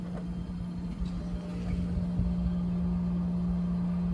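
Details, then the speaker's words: Liebert condenser after replacing a variable-speed single-phase fan motor with bad bearings: steady, even low hum with no grinding, motor drawing 3.4 A against a 4.8 A rating. Normal quiet running after repair. "nice and quiet now let's set this down 3.4 is the highest i'm seeing and it's rated up to 4.8 we're all good and we're in the right direction nice and quiet"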